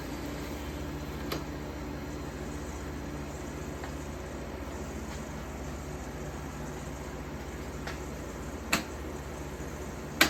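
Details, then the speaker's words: 1953 Fedders Weather Bureau vintage window air conditioner with Tecumseh S-type compressor, just plugged in after electrical upgrade and service, already blowing cold; steady low compressor hum under even fan rush, no knocks or rattles; normal compressor running. "Anyway, without further ado, plug her in and see what she's got. Man, that sounds beautiful."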